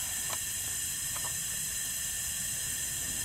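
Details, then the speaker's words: Trailer air brake system after replacing faulty Haldex FF2 trailer brake control valve (old one leaked internally, didn't release brakes); steady sharp hiss of air release on brake application – new valve venting normally. "when I apply the bricks you can hear the air release which the old valve wasn't doing that I'll let you hear that here in a second"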